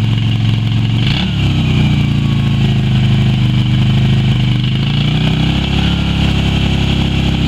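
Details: Yamaha Virago XV250 V-twin after six years in storage, carb primed with petrol squirts, run from a spare tank to blow through old fuel: deep uneven burble, revs rising and falling, never settling into a clean idle.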